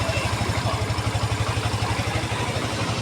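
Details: Yamaha FZi small motorcycle idling steadily, low even thump about four pulses a second, running again after aftermarket fuel pump install and added ECU ground wire; normal idle.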